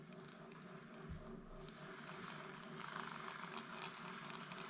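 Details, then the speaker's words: Brand-new Shimano SpeedMaster 16 II saltwater reel, first wind out of the box: light, fast scratchy patter about four per second while cranking the handle, even in free spool, not from the spool; traced to grease bubbles popping between the gear teeth. "Hear that? That scratching sound? The hell is that? I don't like it. It's not from the spool."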